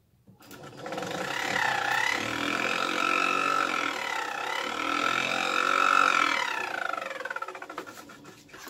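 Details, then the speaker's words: VW Squareback fresh air box blower fan; spins up to a whir with rapid scraping tick about four per second then winds down, impeller rubbing against something in its housing. "obviously it works but it's like hitting up against something so I don't know what's going on in there as far as I want it's rubbing up against but it shouldn't sound like that"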